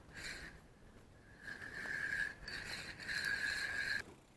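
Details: Gunki FV 300 spinning reel, about four to five years old, before disassembly and cleaning: short bursts of raspy, scratchy whirring as the handle turns; the reel runs rough and gritty and needs cleaning and grease.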